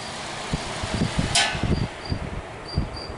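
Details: Vintage hassock fan fitted with new motor, shaft rubbing on upper support noted: fan coasts down with soft uneven whooshes, no rubbing or scraping heard; spins freely, normal spin-down.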